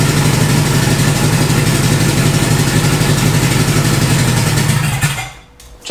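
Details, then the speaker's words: Turbocharged Honda Integra project, first start: catches and runs a rough, lumpy beat for about five seconds, then dies; stalls after start, cause not determined. "run for me for another quick second come on tap it or now That's All She Wrote fam at least for right now"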